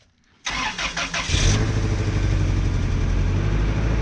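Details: 1997 Toyota Tacoma 2.4L 2RZ-FE after oil pump failure quick rebuild, first start with ATF in cylinders: starter cranks about a second, engine catches and settles into steady even low idle with no knocks; normal start, smoking.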